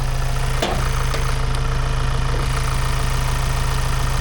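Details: Amazon Transit van's first run in about 7 months, with the bonnet open, sensors unplugged and no coolant. A lumpy, uneven idle beating about four times a second with irregular stumbles; it runs rough, cause not pinned down.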